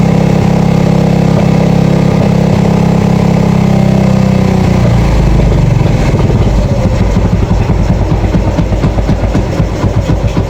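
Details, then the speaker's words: Yamaha FZ that would not start, after cleaning the carburetor (old choke not working), draining water from the fuel tank and refilling with gasoline: catches and holds a steady, even low thump at idle without stumbling; normal running. "So lalagyan natin to ng gasolina. Umaandar na yan mga boss."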